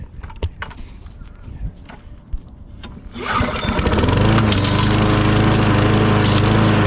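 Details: Trash-found Murray 20-inch self-propelled mower, 6 HP Briggs & Stratton, first run after freeing gummed-up carburetor throttle linkage: engine catches and settles to a steady single-cylinder drone with slight surging, running normally.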